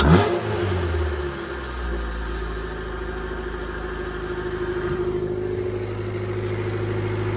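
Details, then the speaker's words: Honda D-series in EF Civic/CRX, MPFI swap with Skunk2 intake manifold, 70mm throttle body and new cold air intake, on test drive: smooth engine note climbing and settling with road speed, no knocks, rattles or hiss; everything stayed tight. "Alright, just got back from the drive. Sounds amazing. Drives amazing. Everything stayed tight."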